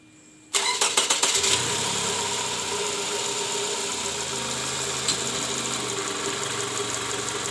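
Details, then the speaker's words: Toyota Camry with 2JZ engine, owner complaint of rough engine sound: engine catches and settles into uneven, slightly lumpy idle with coarse hum; worn, scored balancer shaft bearings, likely from improper installation with under-torqued bolts. "keluhannya itu suara mesin kasar nih guys kita mau dengerin dulu Seperti apa bunyinya"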